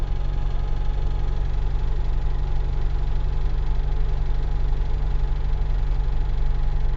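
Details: UZAM 1.5 petrol engine after rebuild, knock appeared around 1,200-1,400 km despite valve adjustment, slight choke, 1500 rpm: regular knock near three per second over steady running; source unknown, chain rubbing tensioner noted but owner doubts it.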